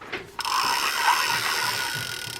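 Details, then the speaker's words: Fishing reel with a probably non-original replacement knob, cranked by hand: gritty, rasping whirr with clicking ratchet texture instead of smooth spin; noisy bearing needing service. "but other than that noisy bearing this reel can go fishing so let's take care of that noise"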